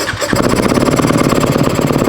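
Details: Dirt bike single after valve shim adjustment (down five and six shim sizes), cold start knob pulled: crisp, even firing at brisk fast idle, about fifteen pulses a second, no ticking or misses; runs healthy.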